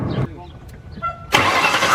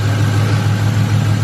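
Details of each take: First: 1999-2004 Mustang GT after belt reinstalled: cranks and catches, then idles with a steady high squeak over the engine rumble; idler pulley grinds and shows burn marks, the suspected cause of the squeak. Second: 1999-04 Ford Mustang GT V8 after replacing the idler pulley and belt tensioner for a squeak: smooth steady idle with even low rumble and no chirp or squeal from the belt drive; squeak fixed.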